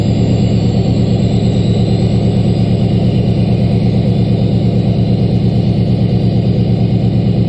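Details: LBZ Duramax diesel pickup at 9000 ft altitude, cold start at -11°F after a -12°F night, one grid heater cycle, fired right up: fast steady clatter at raised cold high idle with a faint turbo whistle, healthy.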